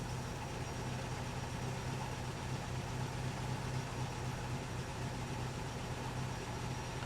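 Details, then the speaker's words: 1964 Triumph TR4 with a rebuilt engine, idling after the distributor cap was turned to a new orientation: a low, steady, even idle with no misses. It runs much better, though the cylinder shorting test still shows cylinders 3 and 2 lowest. "it runs so much better in this orientation."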